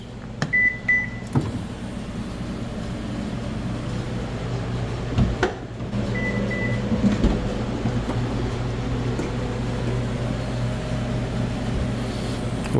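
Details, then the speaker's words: 2015 Subaru rear power liftgate with a prop rod installed after finding a loose strut with a lot of play. A steady, even motor hum through the lift with no clicking or knocking; the earlier noise on opening is gone. "I'm just assisting it up because it's hard to get up there but it's not making a noise it makes noise when this uh hatch goes up when it goes down it doesn't make a noise"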